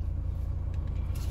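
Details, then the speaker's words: 2017 Renault Megane 1.6 dCi diesel, just after a fuel filter change and fuel system priming. Low, even rumble with a steady beat and no misses or hunting. Smooth normal idle, not lumpy. "we'll leave it on um we'll idle for a minute so he's running nice he's not lumpy he's smooth so I think we're okay"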